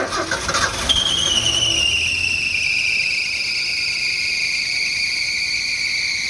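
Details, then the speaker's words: 1980 Ford F100 started for the first time after sitting outside 20 years: loud high squeal right after it fires, settling to a steady shrill tone at idle. The fan belt is slipping; the owner blames a stuck AC compressor, then doubts it's stuck. "that uh belt noise is uh the fan belt because the ac is stuck"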